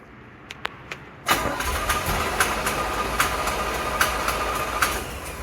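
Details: 1975 Chevrolet C10 second engine, fuel pump diaphragm found bad: faint tick, then slow dragging crank with uneven pulses about four per second, no throttle input; engine never catches. Slow cranking, no start.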